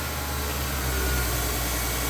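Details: Honda CR-V Gen 2, hard-starting from a faulty relay, running on a direct jumper wire: steady, even engine hum, low smooth idle, no knocks or misses; normal running.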